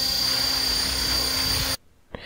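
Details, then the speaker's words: Small electric single-rotor helicopter, heard up close in hover: blade bark thumping from the rotor plus a constant high-pitched screech from motor and gearing, steady pitch, then cuts off abruptly; normal motor and transmission whine. "now is the helicopter we hear more of a of a thumping sound a blade bark from the rotor and a constant Screech from the motor in"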